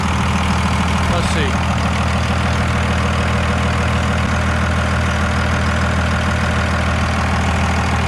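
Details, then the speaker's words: 2001 Ram 3500 with 24-valve Cummins diesel, idling just after a valve lash adjustment: even, steady diesel clatter with regular firing and no extra tapping or misses; no audible difference from before; normal idle. "honestly, I don't know. I can't really tell sound difference at all, but you know what? It's a warm and fuzzy knowing that it's done now."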